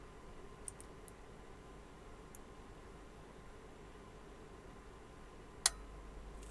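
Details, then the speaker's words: Digital Designs M5 class D car audio amplifier under repair, powered on from a weak supply: a handful of soft ticks then one sharp snap over quiet hiss, slight sub hum; normal relay power-on clicks. "Bon, OK, on entendu les claquements et j'entends un peu le sub ronré légèrement. Bon, je vais éteindre. Ça a l'air d'aller."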